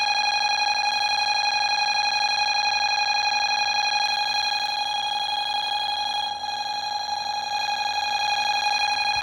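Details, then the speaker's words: Bosch B9512G security panel, armed with every enabled zone in alarm: a steady, piercing high tone holds without a break for the whole clip, the sounder running continuously. "So, every zone is now on alarm that's enabled."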